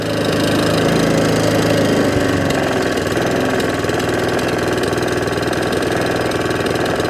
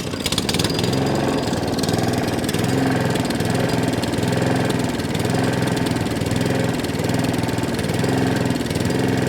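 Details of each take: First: Allett Kensington mower, Kawasaki FJ100 engine, after carburettor cleaning to cure hunting and surging. Held at top-end revs, the buzz stays level with an even, steady beat and no surging or hunting; normal high-rev running. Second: Allett Kensington mower with Kawasaki FJ100 petrol engine, started on pull cord: revs swell and sag every couple of seconds with a slight miss, governor arm moving; hunting and surging from a dirty carburettor, fuel delivery problem.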